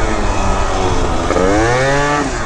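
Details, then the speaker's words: 70cc Yamaha Zuma scooter with new CVT parts, hot day, running cool around 103: engine pulls cleanly, pitch rising smoothly with throttle, earlier top-end noise gone, thought to be a misfire from a loose ignition coil; sounds healthy. "thing's running really cool today it's only r at about 103 too oh boy it's hot look like a blow dryer outside with his teeth well not making that noise in the top end no more like I said I think that was a misfire how loose that ignition coil was it was like crazy"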